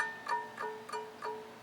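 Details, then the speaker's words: Scroll saw blade being tensioned for beginner use: four plucks each ring with the same clear, fairly high note that fades quickly. This means the blade is at the correct tension, and a higher pitch would mean too tight. "that's all the tighter i want that blade you hear that noise"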